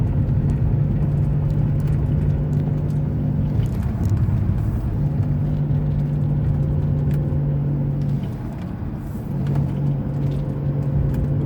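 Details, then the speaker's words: 2002 Chrysler Sebring Convertible 2.7 L driving above about 32 mph: steady low whine over road rumble that drops out briefly when swerving, from a worn front wheel bearing. "today we're diagnosing a whining noise in our 2002 chrysler sebring convertible you can see once we pass about 32 miles an hour you can start hearing it what i want to show you this is actually a wheel bearing"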